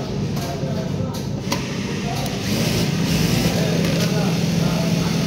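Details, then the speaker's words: Jack A4/A3 industrial sewing machine running at full speed after unlocking the speed limit: program 68 raised from 900 to 3500, saved by pressing P twice; fast, steady whir with even hum, no knocking or catching, running cleanly. "ಇವಾಗ speed full ಆಯಿತು. 3500 ಇಟ್ಟಿದ್ದೀವಿ."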